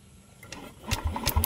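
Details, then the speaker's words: Yamaha Aerox 155 V1 scooter, stored a month after stalling while riding, battery 12.30 V, spark present at coil: quick light starter chugging with no firing; crank no-start, worn spark plug later identified. "So mga getong boltahe mga boss, kayang-kaya pa sana nito paandarin yung motor kaso nga lang kapag pino-post start natin mga boss, ayaw umandar yung makina."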